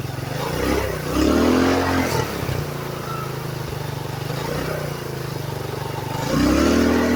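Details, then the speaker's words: GY6 scooter CVT after a noise and scoring repair: two clean revs rise and fall smoothly from idle with no slipping, rattle or grinding. The CVT belt drive is operating normally. "just a quick demonstration to show kind of how that works when you accelerate. You could see how the belt would pull it in, spring it that's down in here would move apart or collapse, which is pretty cool."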